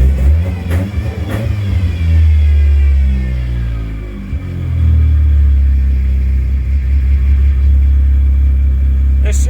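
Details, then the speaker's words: Car that had stalled twice on a drive, just after a bad fuel pump was replaced, started in neutral: revs rise, sag and hunt unevenly, seeming about to die, before settling into a steadier idle. "loud it seems like it wants to die again"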